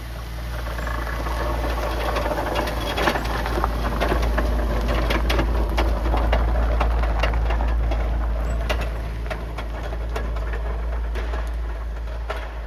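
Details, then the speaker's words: 2016 Chevy Traverse AWD 3.6L at idle with a failing front differential, before replacement: a deep steady drone with a regular ticking knock about four times a second; the noise comes from the front diff. "and we've sort of forewarned her that, you know, we can hear that the noise is obviously coming from the front diff,"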